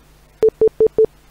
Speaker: it's probably windows telling you that your mouse is not working as it should